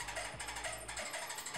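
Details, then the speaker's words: Kenmore electric dryer running with rhythmic squeaky chirping about twice a second, from a worn belt tension roller (idler pulley) that may be hard to turn or grooved by the belt. "then it probably has a worn belt tension roller, which is sometimes called an idler pulley."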